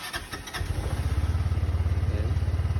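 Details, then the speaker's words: Kymco X-Town 300 scooter after replacing fuel filter and spark plugs and cleaning throttle body and injector: one-click start, steady even single-cylinder idle; it previously had hard starting and died around 6,000 rpm. "So ayan okay na siya ngayon. Kasi so far dati pag ano, hindi talaga siya umi-start."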